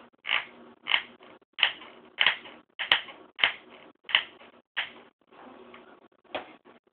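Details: 15-inch MacBook Pro with Retina, warmed up: sharp, dry creaking clicks every half to three-quarters of a second in a quiet room; case said to brush against the fan, a noise deemed normal.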